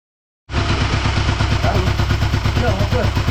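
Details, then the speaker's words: Suzuki Satria FU after top-end rebuild with gasket and valve shim replacement: even, steady low beat with no valve ticking heard previously; valve clearance now correct, running normally. "Apa ya? Gak bunyi kan? Gak meletik kan? Oke teman-teman, jadi seperti itu."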